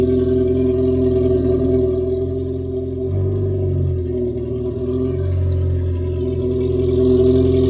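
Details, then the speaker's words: 2019 Yamaha GP1800R supercharged 1.8L WaveRunner, 135 hours, after a new supercharger clutch: a steady idle with a smooth rev rise and fall and a faint supercharger gear whir. Normal idle and revving. "So there you have it. You can actually hear the supercharger turning now, all the gears in there."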